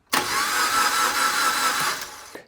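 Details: 2010 Suzuki Jimny cranks but won't start. The starter whirs steadily for about two seconds with no firing. After 22 tests the ECU was suspected, but it was not the ECU; the cause was a simple, no-cost fix.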